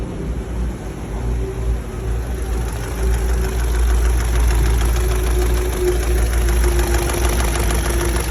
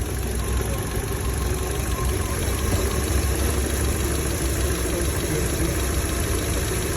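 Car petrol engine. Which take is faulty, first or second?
first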